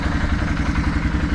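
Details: 2009 Arctic Cat Thundercat H2 1000 SE after installing starter kit 0837-020: steady, even low engine beat with no misses, knocks or starter grind; the new starter turns the motor over noticeably faster and the engine idles cleanly.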